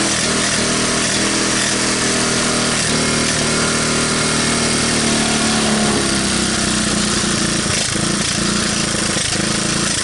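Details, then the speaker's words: 1985 Honda ATC125M single, revived after seizing, PZ27 carb and portable 12V CDI, just after cold start: revs and settles into uneven but sustained run, rattly exhaust; starts and runs. "doesn't sound too bad so it looks like it starts and it'll even run"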